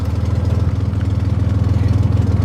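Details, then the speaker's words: 1963 Chevy Corvair idling after years unused. It holds idle, and the owner feels the carburetors are well tuned. A smooth, regular low pulse with no misses or knocks; normal idle. "It ain't got no coolant. And it's staying idling. I think these carburetors are tuned better than the ones on my Monza."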